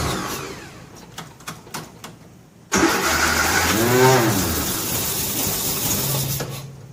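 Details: 1957 Nash Metropolitan barn find, sitting many years, manual choke: clicks, then engine catches with a burst of uneven revs that fades and stumbles instead of settling.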